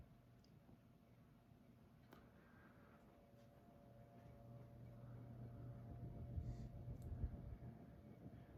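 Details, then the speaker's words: Hunter R&M Original 52-inch ceiling fan, circa 1976-77, on low at about 100 RPM: quiet steady hum with a faint even whir and a harmonic sound, no knocks or rubbing; normal. "You can hear the fan has a harmonic sound to it when it runs here on low. We're doing around 100 RPM."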